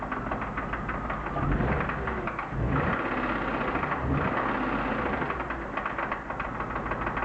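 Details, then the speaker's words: BMW E36 323i, M52B25 engine, 140,000 km, idling: steady rapid knocking unchanged as each ignition coil plug is pulled in turn, so not ignition-related; suspected connecting rod bearing damage, now in doubt. "Problem bleibt bestehen."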